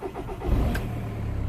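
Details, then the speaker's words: 2006 Volkswagen Golf Plus 1.9 TDI (BXE), restarted warm after running a few minutes on a jump. The starter churns briefly before the diesel catches and settles to a steady idle; extended cranking. "so as you can see it starts fine but it takes a little bit extra uh to go uh but as you have seen earlier you didn't start it at all that's probably because of the glox um but these um uh long cranking if we want if you want to call it like that I believe it's because of that"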